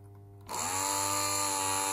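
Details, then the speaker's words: Karcher K50 electric brush after battery rebuild with spot-welded cells (Sunkko 709AD): motor clicks on and settles into a steady, even high whir with no stutter; working normally. "So as you can see, everything is working just fine."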